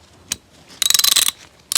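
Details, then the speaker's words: Pro America 5150 3/8-inch drive roundhead ratchet, reassembled after total teardown: quick bursts of crisp even clicks as the handle swings, double click from both pawls engaging; no slipping or grinding. "You hear that double click? See if you can see it."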